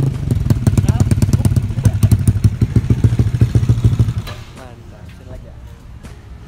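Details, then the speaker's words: Yamaha Mio Soul carburetted scooter with DOHC head, 2 valves and 2 camshafts: loud, lumpy idle with heavy, slightly uneven thumps about three a second; running fine, normal idle. "untuk motornya sih kurang lebih suaranya emang beda ya."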